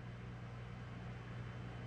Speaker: let's power this thing on boom we've got power baby all right all we need is a post now which should happen relatively soon fans are spinning pumps operating